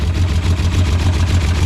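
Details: Long-stored Green Hornet car started after sitting outside: a deep, lumpy idle pulsing several times a second while oil sludge sprays from the top of the engine. Owner suspects a water pump fault or freeze damage, unconfirmed; rough idle.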